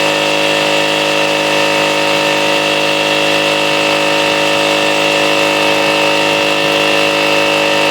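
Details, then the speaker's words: Salvaged air compressor rebuilt from parts of three units, airing up at about 90 psi before cut-off; a steady, even motor hum with a smooth pump beat and no knocks or rattles. It is running normally. "well it's airing up it's uh about 90 right now and and uh as soon as it airs up and cuts off I'll let a little air out make sure it cuts back on"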